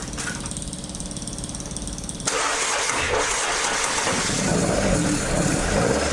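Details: Toyota AE86 with 4AG engine after exhaust leak repair, back to stock exhaust sound: cranks and catches cleanly, then settles into steady even idle with crisp exhaust note, no puffing or ticking; healthy.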